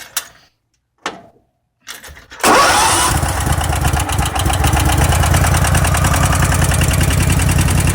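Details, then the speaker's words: Craftsman riding mower with a 4-pole solenoid, extra wire grounded, seat safety unplugged and clutch safety in: cold start with three short cranks, then it catches and settles into a steady, even single-cylinder idle; normal start. "So I'm just going to quickly demonstrate. This will be a cold start."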